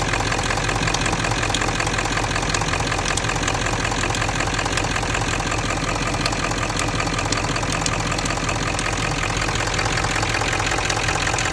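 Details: Ford 7.3 diesel (OBS) at idle: a sharper metal tick, around two to three per second, on top of the usual typewriter clatter; cause unclear, metallic ticking at idle.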